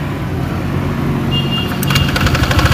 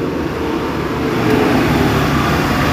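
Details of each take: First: Honda Vario automatic scooter with the CVT drive belt and front pulley off: a rough metallic klete-kletek clatter rides the idle and builds; a loose cam chain tensioner is letting the timing chain slap. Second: Honda Vario automatic scooter at idle after the ticking "klétek" noise was fixed: a smooth, even, steady low rumble with no ticking or clatter on top, only the normal standard tick; the noise is gone.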